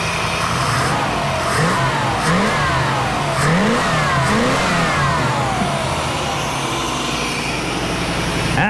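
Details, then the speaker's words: 1989 Pontiac Firebird Formula that sat for 17 years, running after injector and ignition work, with no coolant hooked up. It settles at a fast idle, noticeably too high; owner suspects a vacuum leak. "she running a lot better idling kind of high"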